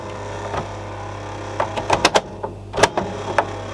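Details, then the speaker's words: Worn belt on a 1982 Philips D8323/10 boombox: motor hum with irregular clicks and clunks as the transport tries to play, the reel briefly spins but the capstan won't turn; needs new belt and a new pinch roller. "The Reel took off for a second but even the Capstone isn't running so I still got a shot built there"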